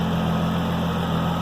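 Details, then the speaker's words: 1997 VR6 turbo MK3 Jetta with 3-inch exhaust, just started: a smooth even idle with a faint steady high whine on top from the Walbro high-pressure, high-flow fuel pump, which is normal. "You can hear that whine. That's that Walbro high pressure pump, high flow volume, or high volume flow."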